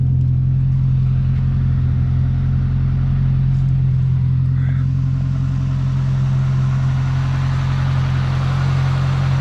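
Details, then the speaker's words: 1972 Ford Pinto Runabout with Motorcraft carburetor, idling in neutral: deep, steady idle with an even low beat, no misses, knocks or hunting; running pretty good, though the carburetor acts up now and again and will probably be rebuilt. "Actually running pretty good. Do I need to rebuild the carburetor? Every now and again the carburetor will act up."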